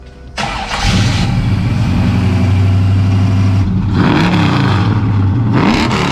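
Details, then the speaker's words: 1971 Chevelle small-block V8, freshly resealed with new accessory drive, water pump, aluminium radiator and electric fans, idling at first start-up: loud power steering pump whine rising and falling with revs, aerated fluid visible; power steering pump whine. "i know you hear the exhaust tone and it sounds awesome but we have a little bit of a power steering issue the pump is whining i'm sure you can hear it it's very loud"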